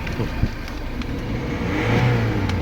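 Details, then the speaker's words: Mercedes-Benz CLS W218 after repair of an engine knock at start-up, following a long road test at operating temperature: revs up cleanly with a steady rising note, no knock or rattle; normal revving. "เร่งขึ้นดีครับเครื่องโอดๆเลยความลงความร้อนก็โอเคนะครับ"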